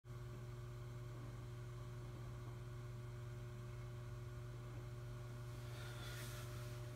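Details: Synology DS916+ NAS: steady low droning hum with faint higher tones from disks vibrating in screw-less plastic carriers; stops when pressing the chassis, fixed by Velcro padding between disks, carriers and chassis.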